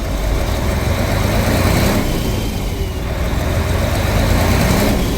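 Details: Mercedes Axor diesel truck after repairing interrupted CAN wires and GM module starting fault: heavy diesel catches and settles into a steady low rumble, no misses or knocks, smooth even idle.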